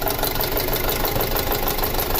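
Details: 2006 Audi A4 2.0T with codes P0300 and P0303 (cylinder 3 misfire), weak fuel pump found earlier: uneven idle with a steady repeating stumble; misfire at idle, pulse sensor intake pulses look fairly even.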